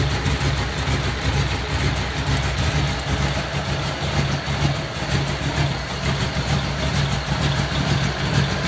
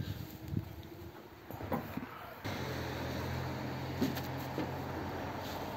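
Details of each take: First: Model A roadster's old V8 (about 276 cubic inch, 4-inch stroke) idling after a year under a tarp, electric fan removed so it is run only briefly, generator belt misaligned: a steady, even low idle with a gentle lope, no knocks or rattles, healthy. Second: Model A roadster's engine with Holley 2100 carbs, primed with fuel after a year under a tarp: quiet, then a steady low starter whir from about two seconds in, but the engine never catches; owner suspects corroded points.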